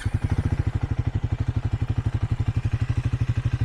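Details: 2024 Triumph Speed 400 single-cylinder with 131 miles, in neutral, full of fuel, just started; even, quick low thumping at steady idle with no knocks or rattles; healthy, smooth.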